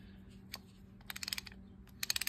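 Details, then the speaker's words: Sears Roebuck 779.414221 spinning reel before service, spool off: short bursts of quick ratcheting clicks with gaps as the anti-reverse tries to engage but doesn't catch; intermittent, owner suspects gummed-up old grease. "sometimes works sometimes doesn't work you can hear it where it's trying to engage and it's not catching I think it's probably just gummed up grease in it"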